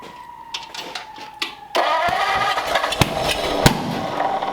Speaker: Jesus. Why is that thing popping like that?